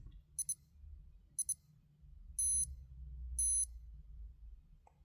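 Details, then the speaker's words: Citizen Promaster Divers AL0004-03W watch, alarm/sound monitor test: two quick high double beeps, then two longer high tones about a second apart, barely audible; the alarm works. "I can barely hear it here, but it is a good it is a good um indicator that everything's working."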